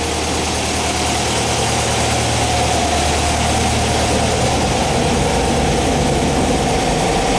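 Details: 1959 VW single cab pickup air-cooled flat-four, first run after restoration, warming up. Steady, even idle with a smooth low pulse under a constant fan hiss, no misses or knocks. Normal, healthy idle.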